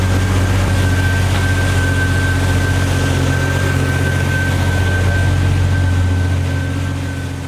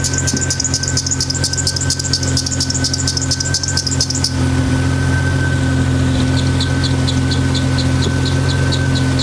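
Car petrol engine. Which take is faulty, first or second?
second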